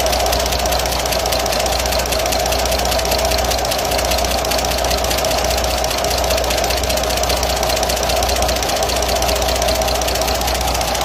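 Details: Idling diesel with light uneven tapping: valve clearance keeps loosening after adjustment, caused by worn tappets and camshaft lobes (cylinders one and two worst); adjusting nuts and rocker arm bushes also to check.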